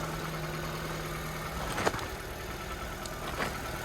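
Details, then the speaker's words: Copart auction car (Infiniti or Nissan): a quiet, smooth hum of a small engine idling with a few faint clicks, running evenly with no misses; a normal idle. "it sounds pretty healthy for the most part does these are pretty good it seems so it seems I got two on the list back to back y'all that is unusual but he's humming"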